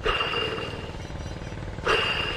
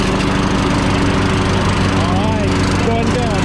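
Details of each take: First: Troy-Bilt Pony lawn tractor deck blade spindle, removed and spun by hand: rough, raspy whir with a thin high ring, fading, then spun again; bearing dry, spindle dead, to be replaced. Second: 2006 Troy-Bilt Pony lawn tractor, 42-inch deck, after replacing both original blade spindles, blades and belt: steady engine drone with blades turning smoothly, no grinding or spindle rumble; normal deck running.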